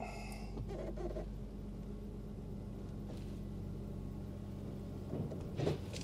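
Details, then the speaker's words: Nissan Elgrand E51 after replacing worn front anti-roll bar drop links, test drive over a bump that always triggered the knock: only even road hum and tyre rumble, no clunk, quiet front suspension. "yep it's cured there's a little bump there that always triggers the noise and in a significant manner so we can assume we done"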